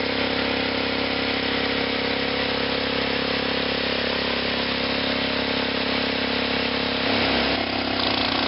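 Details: 8 hp cast-iron Kohler gas engine driving a 1941 DeVilbiss air compressor, restored with new throttle control and gas tank: steady, even single-cylinder beat with crisp exhaust bark, no knocks or misses while pumping; normal running.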